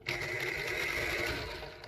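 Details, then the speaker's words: Singer 201P sewing machine after cleaning the bobbin area, running with a harsh, high whirring whine that winds down; it sounds dry and rough, likely needing oil, since the top is not yet cleaned or oiled. "let trying it's little hot out it just sounds awful I think it needs a fair bit of oil in here you know needs oiling poor thing"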